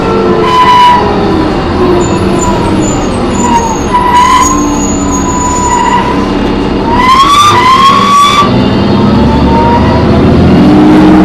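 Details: MTA New Flyer D40LF bus #4088 recorded on board while driving: loud high-pitched screeching rises and falls; suspected brakes or transmission, source unconfirmed.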